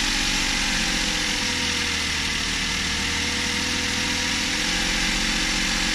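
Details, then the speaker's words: Suzuki Every Wagon DA64W, K6A 660cc, after replacing belt tensioner bearing (NGK 6909 DUM1) and tightening belt; steady even mid-pitched idle drone, previous rattle gone; normal idle. "So ayan guys, tahimik na. wala na siya yung parang kumakalansing. Ayan, wala nang ingay."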